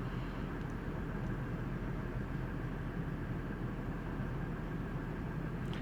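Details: 1999 Ford F150 4.2L V6 at hot idle after fixing backfire, misfire and P0174: smooth, even low rumble with no misses, knocks or pops; MAF 5.2–5.3 g/s within spec, IAC 47%, fuel trims within 2%.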